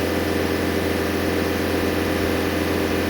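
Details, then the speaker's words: Known-good Bobcat S550 diesel at full throttle, used as reference: even, steady roar with no misses or surging, rail pressure holding around 200–204; normal full-throttle running. "Now let's see what it does with full throttle. Full throttle staying around 200, 204, 203."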